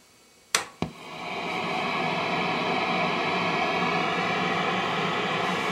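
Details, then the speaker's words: Hughes & Kettner 50 W Switchblade amp, effects loop off: after two switch-on pops, a steady even hiss with no low hum underneath; normal noise floor, like the control case. "so I'm going to turn on the amp again the effects loop is off right now so this should be pretty much like it was in the control case"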